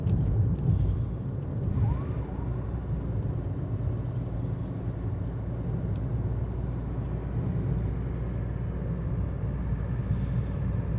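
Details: Hyundai Creta cabin at about 60 km/h with the AC off, on a 35°C day. Steady low tyre and road rumble with no whine, knock or rattle. Owner finds only very slight noise; normal cabin road noise.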